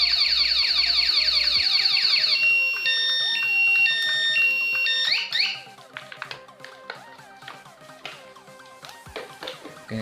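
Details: Car remote alarm in anti-robbery (anti-snatch) mode, set after starting the engine, with its pink and grey stop-engine wires outputting negative: fast high warbling chirps, then stepped piercing tones repeating about twice a second.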